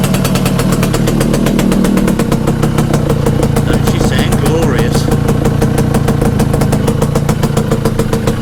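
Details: Restored Yamaha FS1M two-stroke moped, upgraded carburetor jets, ported, first start after restoration on a humid day: crisp, even two-stroke crackle with steady fast beats that never stumble; clean, normal idle.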